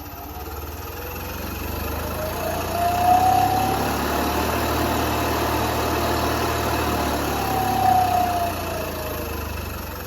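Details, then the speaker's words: New scroll air compressor with soft start for a honeyhouse's pneumatic machines: steady low hum with an even throb and no squeal on start-up, unlike the old compressor's hard squeal; runs smoothly, normal. "also the old compressor was uh didn't have a soft start like that that was a hard squeal every time it started this is going to be way nicer"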